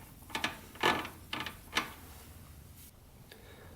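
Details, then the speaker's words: 1985 Honda 200X with internal transmission fault: sharp metallic clicks as fourth gear tries to grab but won't engage and acts as neutral, while fifth clicks in fine; external shift linkage looks fine, owner suspects stripped internal gears. "it's almost like the gears in there just like stripped out you can hear it so acts as a neutral but then you can shift it right into fifth gear and it clicks right into place it's very odd and then shift it back down and the fourth you can hear it kind of try to grab"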